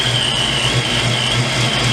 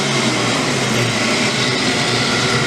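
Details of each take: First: Ford Mustang V8 first start after build, timing set to 30 degrees, big cam: steady idle with slight uneven lope every half second, a little rough and rocking, smoothing when revved. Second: Ford Mustang V8 on its first start after a power-up build, with a big cam and timing set to 30 degrees: loud, even running with no misses or knocks. A little rough and rocking at idle, but it smooths out with gas.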